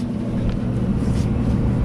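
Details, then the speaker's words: Old Kenmore gas dryer after replacing gas valve solenoid coils and with timer working, on timed cycle: igniter glows, solenoid clicks open the gas valve; soft, even drum rumble, no squeal, scrape or thump. Normal running. "Okay, you can see your igniter flaring up there, and it'll get red, and then you'll hear the audible click of the other solenoid kicking in, and that opens your gas valve, and that heats your clothes."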